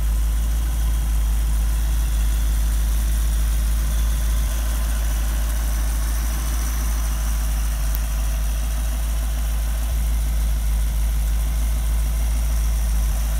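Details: Rebuilt 1965 283 small-block Chevy in a Model A hotrod chassis, in its break-in period on temporary quiet mufflers: deep, even V8 idle blurring into a steady burble, no ticks or misses; healthy idle.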